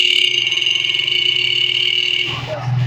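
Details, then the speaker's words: Motorcycle horn with capacitor fitted instead of battery, engine running: steady high horn tone that fades and weakens when the capacitor wire is disconnected; horn underpowered without capacitor. "है, तो आप इसकी आवाज़ देख सकते हैं कि कैसे हो गई है।"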